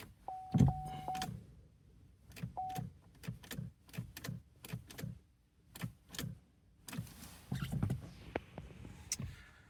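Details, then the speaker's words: 2012 Vauxhall Astra 2.0 CDTi diesel, no crank with P0615: key turned, only sharp relay clicks from the glove box area and a chime, no starter crank. Ignition switch assumed okay. "It does not crank when turning the key. I could hear sort of in the glove box area some relays clicking. Um, so I'm assuming the ignition switch is okay."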